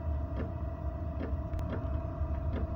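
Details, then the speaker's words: Tunable diesel heater running with fuel pump frequency set too low: even fan hum with faint slow pump ticks just over one a second; heater runs lean, dropping below the red efficient-burn bar within a minute, pump hertz needs increasing. "Alright, it took less than a minute. Already dropped the red bar. So that tells me I need to increase the pump hertz to stay in that red."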